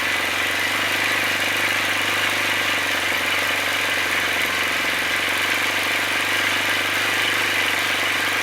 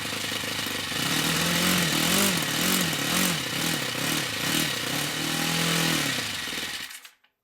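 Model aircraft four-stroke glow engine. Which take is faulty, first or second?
first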